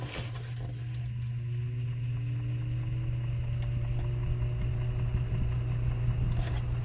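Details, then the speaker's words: Older garage paint box fan, motor oiled heavily over time, starting: strong hum with tone slowly climbing over several seconds as blade drags up to speed; takes forever to start, cause not confirmed. "like I say it takes forever to start but it's my garage you know paint fan"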